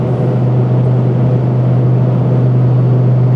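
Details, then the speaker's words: Truck on BFG KM3 mud-terrain tires at highway cruise around 85 mph: loud, steady low drone with heavy rumble and the whole cab shaking, only a low hum on the street; mud-terrain tread hum, tires rebalanced at each rotation but hard to balance. "On street driving, you get a low hum that's just annoying. But on the highway, the noise is downright unbearable, especially over 85."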